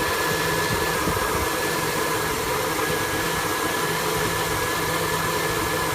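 A steady, slightly uneven V8 idle with a busy hiss over it; it runs rough, but nothing here points to a specific cause.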